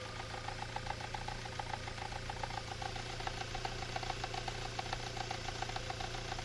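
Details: Engine idling with a knock of unknown origin: fast, light, fairly even ticking about three or four per second over a steady idle hum.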